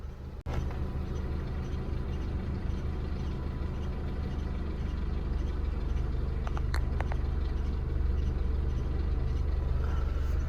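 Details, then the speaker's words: Renault Megane 2 on cold start: steady low drone with faint loose irregular ticking about three per second; owner unsure, rollers and water pump new, suspects the unreplaced alternator belt tensioner. "ще з'явилась нова проблема не знаю що це саме але на холодну машину ось такий"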